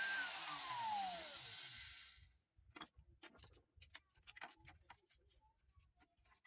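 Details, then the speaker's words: Man blender that wouldn't turn on, after replacing carbon brush with a new longer one: strong, even motor whirr runs steadily then pitch falls smoothly at switch-off; motor working normally after repair. "Ahora probamos. Listo. El motor queda en funcionamiento."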